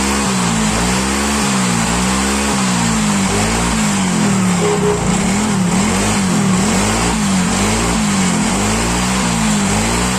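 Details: Yamaha Mio Soul GT, unused for several days and would not start, kick-cranked: the small single-cylinder fires and idles steadily with slight speed wobble and small blips, no misfire. The fault turned out to be only the spark plug.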